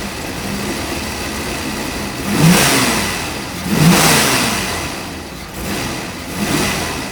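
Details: 1986 Ford Mustang GT 5.0 V8 field find, sat for a long time, injectors never pulled, still blowing debris from tailpipes: steady lumpy idle with three clean throttle blips rising and settling smoothly, no knocks or misses; healthy engine.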